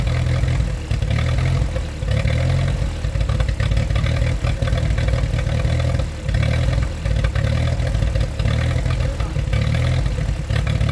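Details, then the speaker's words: 1947 Ford 8N tractor, just started on jumper cable, out of gear: low lumpy idle sagging every couple of seconds as if about to die, while carb is adjusted with a screwdriver; rough idle. "all right well you can see I just ran and got a screwdriver came back I thought she was gonna shut up so I'm now adjusting the carb a little bit you're gonna hear in a few seconds that she does smooth out"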